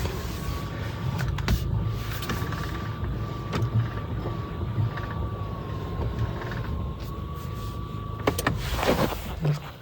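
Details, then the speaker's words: VW Virtus GT at about six months old, engine running while parked, steering turned left: irregular sharp "kat kat" clicks over steady engine hum and faint whine; electric power steering clicking, reported. "सो आपने देखा कि आवाज़ किस तरह से थी कि आप लेफ्ट हैंड साइड में जब स्टीयरिंग काटते हो आइसोलेटेड प्लेस में गाड़ी स्टार्ट रहती है तो कट कट कट कर आवाज़ आती है।"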